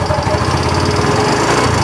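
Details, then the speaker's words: Yamaha Mio M3 125 that earlier ran out of oil and now burns oil quickly, idling with the CVT removed: a rapid, dull ticking knock strongest at the front of the engine; piston suspected, possibly the con rod; teardown found a worn bushing leaving piston and liner loose, causing piston slap. "terasa di bagian depan sini ya kayak di bagian pistonnya tapi tidak akan menutup kemungkinan itu di bagian stang piston tapi kayaknya berasa banget di bagian pistonnya"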